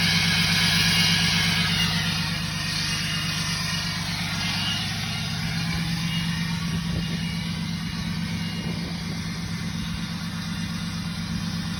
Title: Nasty turbo whistle 2 High idle Tuned/Deleted 6.7 Cummins 2017 Ram#509cummins